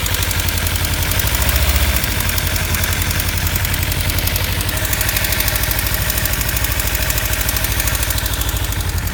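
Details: 2015 Kawasaki Ninja 300 twin at warm idle: light, uneven ticking rattle about twice per second over the exhaust beat, appearing only once warmed up; owner suspects cam chain tensioner or loose exhaust header bolts, not confirmed.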